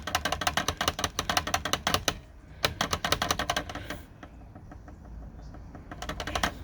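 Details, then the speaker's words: Hermes Rocket typewriter after repair, the rubbing space bar guide piece oiled with red oil: crisp, regular keystroke clacks and carriage spacing with no squeal between strokes; the space bar now works quietly. "so now she's up and running again and not squeaking"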